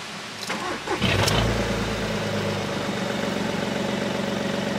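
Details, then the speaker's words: Cheap scrap SEAT Ibiza with weak battery, immobiliser fixed: cranks and catches within a second, then loud, raw, booming idle; rear silencer box missing, otherwise seems to run okay. "running sounds alright apart from the awful fact that it's missing a back box"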